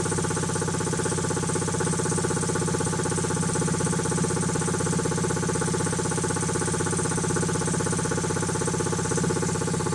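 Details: Quincy QT-5 (QT5) compressor pump, first run after rebuild: steady, even thumping about four per second with no knocks or rattles; healthy running.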